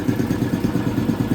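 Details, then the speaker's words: Restored air compressor pump on an 80 gallon tank building pressure toward 20 psi for a leak test: quick, even thumping pulses about seven a second, low and steady, no knocks or squeals, relatively quiet; normal running. "I still can't get over how quiet this thing is. It might sound quite loud to you guys, but relatively speaking, it's pretty quiet."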